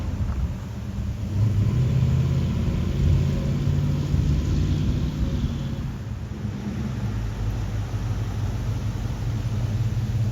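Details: 1965 Ford Ranchero after new cam, lifters and timing chain to cure valvetrain tick, first start held at 2000 rpm for cam break-in; steady even low rumble, no knocks or ticks, running smooth.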